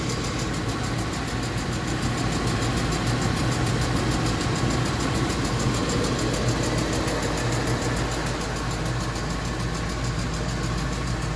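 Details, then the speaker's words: Ford F250 5.4 Triton V8 idling with a quick, regular metallic tick that just started, loudest from inside the passenger-side fender; roller follower or lifter suspected, found to be a loose spark plug blowing by. "We got a tick on the 5.4 Triton V8."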